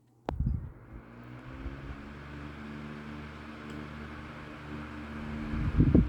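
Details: National (Matsushita) Panacool F-30AM 12" oscillating desk fan, early 1970s, oiled: switch click then even steady motor hum without rattle or scrape; running healthy.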